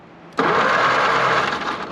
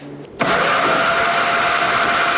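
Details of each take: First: 82-year-old Ford GPW WW2 Jeep dormant since about 1965, first cranking attempt: sudden, even whirring spin holding steady over a second with no grinding or clicking while the belt disintegrates. Normal starter cranking. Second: 82-year-old Ford GPW WW2 Jeep dormant since about 1965, compression test while cranking: starter spins fast and even with almost no compression pulses; one cylinder reads dead while another shows almost 110. Stuck valve suspected, head to be pulled.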